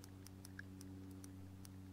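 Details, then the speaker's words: 1973 Honda CB360 bought cheap off Marketplace, spark check at the ignition points before fitting a new cap, opening and closing the points by hand: sharp irregular ticks over a steady hum as spark jumps; crisp spark, ignition firing fine, points then filed and cleaned. "put a new cap on here before I screw the cap on I'm just going to make sure we have spark here and you can see it jumping and all I'm doing is can you guys see that you should you can definitely hear it"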